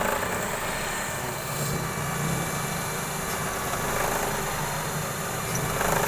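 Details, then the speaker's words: Suzuki Celerio petrol engine idling evenly with steady hum, no surging or stalling, after cleaning a dirty throttle body that caused fluctuating idle and dying; no check engine light. "Ayan aan maganda na po siyang magresponse so linis throttle body lang tayong ginawa natin mga guys Wala naman po siyang check engine"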